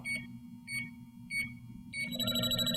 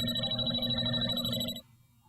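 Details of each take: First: JB Industries LD-5000 Prowler refrigerant leak detector, warmed up, tip held toward test vial (small-hole leak): shrill beeps about every 0.6 s, then a steady rapid alarm near the leak. Should read three to four bars; working properly. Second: JB Industries LD-5000 Prowler refrigerant leak detector at the pinpointed leak source after narrowing slow pendulum sweeps: a fast, bright ringing alarm for about 1.5 seconds, then it cuts off.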